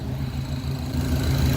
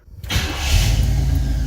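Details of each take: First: 1966 Pontiac Catalina wagon V8 with idle air control, rear wheels raised, idle still at 800 rpm while adjusting: steady, even idle sitting a touch fast and not settling lower; throttle letting in too much bypass air. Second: 1966 Pontiac Catalina wagon, not yet hot, in park: brief crank, then fires almost at once and settles into a steady even rumble while the IAC ramps down; normal quick start.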